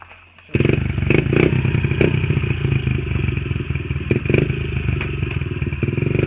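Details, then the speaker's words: Honda XR50 pit bike with aftermarket pipe, hot after riding: revs unevenly, with stumbles and rattly bursts breaking the exhaust note; sputtering worse again despite a carb clean the night before, and the owner expects to clean the carb again. "It ran a lot better last night, but I think it's coming back up again. It's sputtering real bad. It's sputtering worse now."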